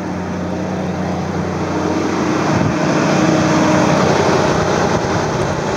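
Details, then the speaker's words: 2001 Mazda B3000 pickup, worn fan clutch not disengaging so the fan runs at engine rpm: loud steady whooshing roar rising with revs, never easing off; fan clutch stuck engaged, to be replaced. "so you can hear that the fan isn't disengaging because the clutch is worn out"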